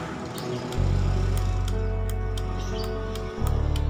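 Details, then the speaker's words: Honda PCX 150 with key on and starter pressed: irregular light clicking from the relay beside the battery with no cranking, battery normal at 12.5 V; cause a dirty ECU connector. "seperti itu teman-teman hanya ada suara itu bersumber dari sebelah sini teman-teman ada di samping aki ini ada suara cetek-cetek cetek seperti itu padahal kondisi aki Honda PCX ini masih normal teman-teman voltase masih 12,5 volt"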